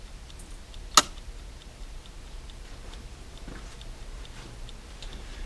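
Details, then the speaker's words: Serviced dash clock from a 1969-71 Lincoln Continental Mark III, bench-running on a fuse after it was cleaned of lube: faint, even ticks with no stumbles. The clock runs normally. "Like I lubed it, and I got to make sure I've cleaned all the lube off, because if there's any lube in there, it won't fire. It's ticking away nicely."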